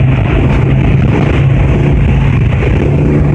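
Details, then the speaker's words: Hemi 265 six with a new Mirabito Performance head, no cam yet, plugs cleaned and gapped and distributor cap done, driving to the dyno; steady even low drone with no misses, knocks or surging; smooth healthy running. "It's all running pretty smooth."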